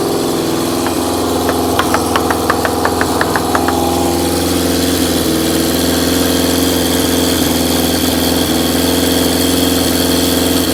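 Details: Carbureted engine with vacuum-fed carbs, no air restriction: lumpy, uneven idle with irregular stumbles and a few sharp blips; rough running from unrestricted intake air.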